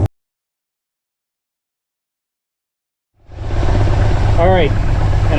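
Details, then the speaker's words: Mopar Slant Six with a newly swapped supercharger, idling: after a quiet start, settles into an even, steady rumble with no squeal or rattle; previous blower's death rattle gone. Steam is coolant burning off the headers. Smooth normal idle. "you can see uh special effect all the steam which you can hear it's quiet this thing is idling real smooth so I'm very pleased with that"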